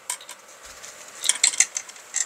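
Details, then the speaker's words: Light, sharp ticking in loose bursts as a Onewheel GT board, stripped to the frame, is shaken: something loose inside the controller case; owner suspects a loose screw, not confirmed. "there's something in there we're going to see what it is I'm going to say it's a screw that has come loose"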